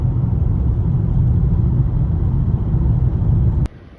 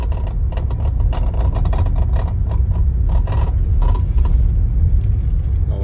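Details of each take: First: Normal quiet steering column in a 2016 Toyota Camry after replacing the electric power steering damper; only even low road rumble over rough surface, no rattle or clunk, steering wheel feels stronger. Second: Worn steering column damper in the electric power steering column of a 2016 Toyota Camry, heard inside the dashboard while driving on rough pavement: irregular light rattles and clicks above road rumble, quiet on smooth road.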